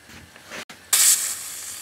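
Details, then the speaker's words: Wilesco D6 model steam engine warming up: a short hiss, then a loud sustained rush of steam that slowly tapers off, blowing condensed water out of the lines before running. "I'm doing that to get some water out of the lines you can see the water coming out you do that be sure not to get burnt cuz that steam can burn you coming out of there"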